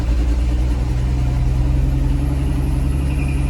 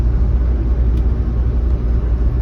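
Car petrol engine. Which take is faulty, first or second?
first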